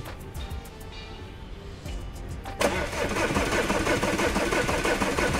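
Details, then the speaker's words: Diesel Audi Q5 with a fuel pump electrical circuit malfunction code: even cranking at about three beats per second, engine never fires. No diesel comes out of the fuel line into a bottle; no fuel delivery. "Diesel pipe అయితే తీసి నేను bottle అయితే పెట్టాను, diesel అయితే రావట్లేదు."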